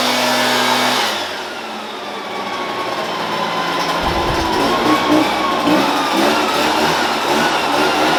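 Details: Shindaiwa EB802RT commercial backpack blower after new carb gasket (old lacked crankcase pulse holes), previously died on acceleration: engine drops briefly, then climbs smoothly to a strong, steady high-speed roar without stumbling; fixed.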